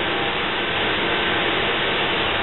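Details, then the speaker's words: Nu-Way NGN15S1S150 on/off fully automatic natural gas burner, just reassembled: a steady, even rush of blower air with no ignition yet, as the CS12 control box indicates pre-purge of the combustion chamber before firing. Normal pre-purge. "so the blue wheels moving that's the pre-purge to the cleaner combustion chamber before it fires"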